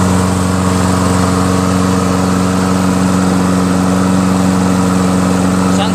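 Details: Toro Recycler 22-inch mower, Tecumseh 6.5 HP, after clearing a hydrolock and carb clean with new needle, gasket, bowl, float and fresh fuel: smooth, constant buzz at steady governed speed, no misses, surging or knocks; running healthy.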